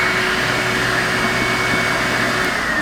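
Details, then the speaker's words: Older yellow Numatic James JVP180 vacuum, heavily used and abused with a dust-clogged filter, runs but has no suction. A steady motor whine with a faint high tone slowly sags and sounds off; the motor's condition is a concern, cause unconfirmed. "has no subsea suckie right now so we're gonna have to fix that but the motor sounds aren't right considering the amount of abuse this machine has been through"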